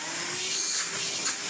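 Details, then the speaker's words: Numatic HVR200T-2 Henry Turbo vacuum fitted with a new paper bag: steady high-pitched motor whine with a faint constant hum, no surging or rattling; instantly sounds much better. "Oh. Instantly sounds much better."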